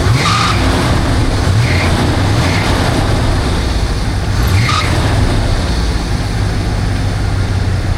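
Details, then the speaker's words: 1978 Dodge Monaco V8 running with short high-pitched shrieks from the engine bay over a rough idle; owner unsure if it needs a belt; alternator is working but overcharging, suspected bad voltage regulator. "I don't know if it needs a belt or what. It makes a terrible shriek sound."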